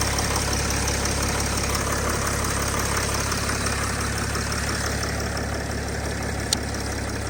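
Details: Touring vehicle after no-start, jump-started with solid-state jump starter, starter motor needs fixing: even steady idle, low rumble, no misses or stumbles; engine running fine at tickover.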